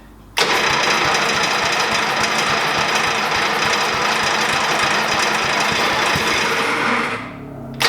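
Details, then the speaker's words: 1988 Dixon ZTR 311 mower, Briggs & Stratton 11 HP, air filter off, choke on, fuel primed by hand: runs hard and uneven about seven seconds then dies; spark present, fuel delivery fault, carburetor screws to be reset. "whew we got it to start okay so um we now know that uh there is gear there is spark and we have a problem with fuel right"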